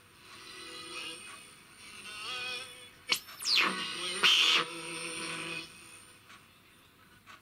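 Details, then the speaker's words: 1976 Codar Mini-Clipper TRF regenerative receiver kit (one FET, two transistors, Class A output, about 40 mA) on top band: continuous clear music with heterodyne whistles while tuning, local transmitter heard all across the band; poor selectivity, improved by more regeneration. "as I suspected I can hear the local transmitter virtual all over the place yeah clear music continuously along the band"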